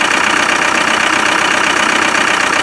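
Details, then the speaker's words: Land Rover 300Tdi diesel idling with breather off: heavy, even rushing hiss and puffing from the breather, fumes and oil spewing out; severe crankcase blow-by that had filled air filter, hoses and intercooler with oil. "But the thing is, that's terrible. That's really, really bad."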